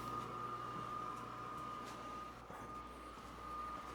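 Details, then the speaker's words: Dehumidifier that leaked and flooded basement, condensate pump tested by pouring in water: steady low motor hum at constant mid pitch and even level; condensate pump running and pumping normally, so not the leak source. "Hope you guys can hear that. So, condensate pump is working."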